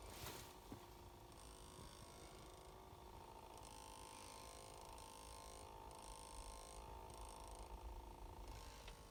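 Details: 2019 Ford Escape with engine off: quiet steady hum with a faint high whine continuing after shutdown, as if something stays powered; unexplained humming noise.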